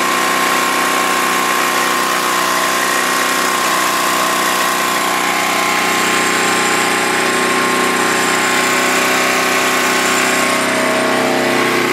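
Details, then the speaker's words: Snapper rear-engine mower, believed 1988, after a new starter, warm: a loud, steady single-cylinder drone holding even speed with no surging, knocking or misfires; it runs fine. "but yeah it runs good I'll crank it up it is warm right now but for some reason you still have to choke it to start it"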